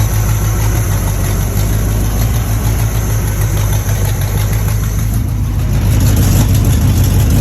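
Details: Small-block Chevy at startup: low, rough idle with an uneven knock about three times a second under the rumble; knocking on cold start, source not pinned down.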